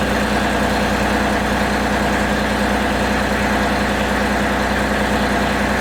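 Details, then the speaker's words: John Deere 3025e diesel cold start after 30 minutes of 1500 W heater under the oil pan, glow plugs cycled twice: steady, even diesel clatter at idle, no misses or hunting; running smoothly. "The glow plugs went off right away, that's good. It must be warm."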